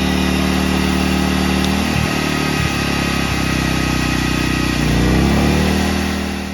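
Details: A-iPower SUA2300i/SC2300i inverter generator that would not start, after carburetor repair and cleaning: engine catches after a couple of pulls and settles into an even, steady run with no stumbles or misses.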